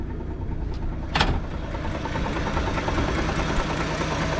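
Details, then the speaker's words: 1961 Rambler American Super, 67,975 miles on the odometer, now starting easily; light steady tick over an uneven old-engine idle; crank pulley/balancer suspected, same noise as on a Nash, unconfirmed, pulley removal planned. "scary sounding noise but the same balancer as the Nash making the exact same noise as the one on the nas did which also scared me a bit"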